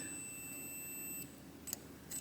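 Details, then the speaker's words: 1966–69 Harley Davidson Shovelhead generator model, ignition circuit breaker: the meter gives a steady beep between earth and the points arm, showing the arm is grounded when it should be insulated, so the points system won't work. "So with these circuit breakers, this little arm is supposed to be free from earth. So when you go from earth to the arm, see how it's connecting? You can hear the fucking stupid beep."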